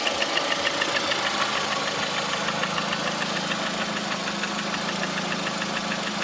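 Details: Lada Priora with 21126 engine idling: fairly regular tapping, roughly three knocks a second within the engine noise; knock at idle, source unclear.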